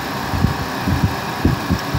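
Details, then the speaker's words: 2003 Honda Foreman 450 with temp sensor heated and grounding internally: radiator fan running, steady whirring with a soft uneven throb over low background noise, overheat light off; normal fan operation after repair. "it's grounding internally through that little prong back to ground running the fan circuit you can see the fans running you can hear it"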